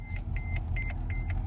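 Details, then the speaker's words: Mercedes-Benz E-Class brake system failure: clear high two-tone chime repeating about every 0.35 s over faint engine hum; ABS light on, car cannot move; dash reads reduced braking effect, longer stopping distance; cause unconfirmed. "when I turn it off it's saying reduced braking effect start engine longer stopping distance start engine"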